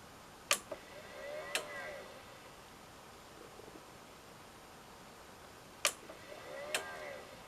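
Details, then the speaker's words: Pioneer A-P510 amplifier at power-on: relay clicks on, a fan is heard briefly, then it clicks off about a second later as the display shows H and goodbye, twice; failed 5V regulator supply from a leaking capacitor. "um and also I can hear like and in the momentarily space of time it comes on I can hear a fan"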